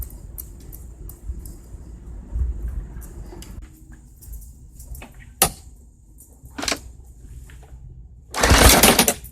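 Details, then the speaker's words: Roadside Briggs & Stratton Black Max push mower (MNA152905) with a severed shaft, Marvel Mystery Oil in the cylinder: rope pulls give short rasping bursts dragging firmly, not yet fired; good compression. "Feels like it's got a lot of compression still. All right. That actually sounds pretty good. I don't hear any knocking or clamoring going on."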